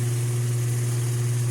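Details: American top-load washing machine: steady low motor hum with no agitation strokes, from a worn motor coupling; there is some oil on the sides, and the clutch may be slightly loose.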